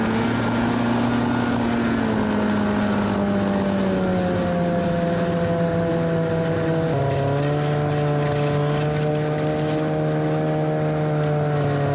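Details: 1991 Arctic Cat Prowler 440 two-stroke snowmobile after revival: carbs checked, fresh fuel, throttle safety switch bypassed, earlier one-coil miss resolved. Pulls steadily under load, pitch dipping and rising with throttle, no stumbles or knocks. Flawless after about an hour's riding.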